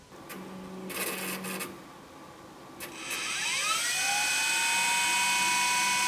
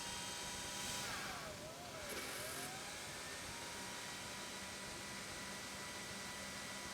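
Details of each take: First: LTO-4 tape drive in a dedicated AMD Phenom X4 9600 server: a few short buzzing bursts, then a whine rises and settles into a steady tone as the tape spins up to speed; normal winding. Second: LTO-4 tape drive in an AMD Phenom X4 9600 server restoring one file, retrieving only a few percent at a time: hum with tone sliding down and up as tape shuttles; repeated seeking, owner suspects fragmentation or questions data integrity.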